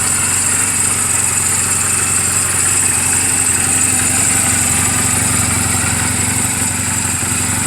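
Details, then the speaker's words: 2007 Honda Rebel 250 in neutral, oil just changed and valve clearances just adjusted; steady, even putter at idle with no tapping, misses or hunting: normal idle. "this motorcycle is running perfectly I just now changed the oil did the valve clearances everything"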